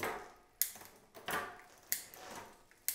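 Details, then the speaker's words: New Cyrusher Bandit e-bike after barrel adjuster tweak on rear derailleur: crisp single clicks as each gear drops, no chatter or grinding; indexing now shifting cleanly. "but uh everything seems to be shifting nice now"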